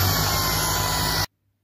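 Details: Shark IZ251UK Anti Hair Wrap cordless stick vacuum: harsh roaring rush of air with a shrill edge for about a second, then cut off; abnormally loud running noise.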